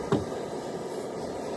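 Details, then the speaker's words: Cold isobutane canister on a camp stove, full can, valve at maximum: a soft, thin, steady hiss as the gas vaporises poorly, giving a weak flame, far weaker than the MSR or all-season camp fuel. "So you can hear it. Definitely not doing as good as the MSR or the all season camp fuel."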